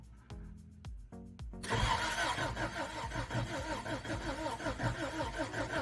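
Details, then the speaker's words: 1990 Toyota 4Runner 22RE after head, cam and gasket replacement, coil unplugged, cranking for oil pressure: a chime, then sluggish, uneven, dragging starter turnover. Cranking too slowly. "I think I'm going to hook up my jump pack to it cuz it's not cranking very fast."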